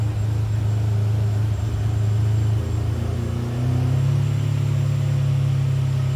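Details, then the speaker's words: Ferrari 456 GTA V12 after major service with fuel filters replaced, restart following long crank and stumble from filling filters: deep, even rumble settling into a steady smooth idle with no knocks or stumbles. "So that's the reason for the long crank and the kind of the stumble on fire up. But it should fire up nice on this attempt."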